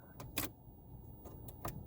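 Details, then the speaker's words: 2002 Renault Laguna with the start button held: irregular sharp relay clicks, about five in two seconds. Owner attributes it to a contact problem with the key card reader; pressing once sometimes fails to start it. "You can hear the relays clicking. That's apparently a contact issue with the card reader."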